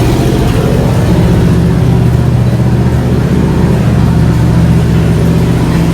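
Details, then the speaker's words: 1987 Monte Carlo SS, revived after 20+ years: loud deep rumble holding a steady idle, a little fast, about three pulses a second, while checking oil pressure. "test fire says it does idle so a little fast but that's okay"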